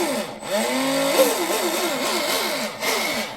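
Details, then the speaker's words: Proboat Veles 29 with upgraded 1/4" brass stuffing tube, Speedmaster 21 strut, .187 metal-on-metal flex cable (no Teflon liner), Castle Cobra 8S ESC, SSS 4082 2000KV motor: throttle bursts give a smooth, slightly loud metallic whir, no cable whip or vibration, warm not hot; normal. "actually sounds pretty good. Little loud. Little loud. Cuz this is metal on metal, right? If it was a teflon liner, it would be quieter."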